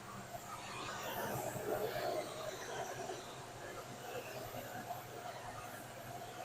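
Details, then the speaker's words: 1967 Ford Falcon with swapped 302 V8 and C4 automatic: even low idle rumble with no scraping after an aluminum part rubbing the flex plate was bent away; fluid still low; normal running. "That black cake was rubbing on the flex plate. I bent it out of the way and everything's fine now."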